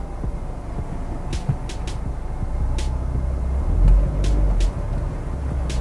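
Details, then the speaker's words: Nissan X-Trail T32 CVT after overhaul (originally whistling), stationary gear-selection test D, N, R: low steady idle with only soft brief engagement thumps, no whine; PRND engages with no trouble, normal CVT engagement. "Oke, hasilnya oke nih untuk eh PRND-nya enggak ada trouble."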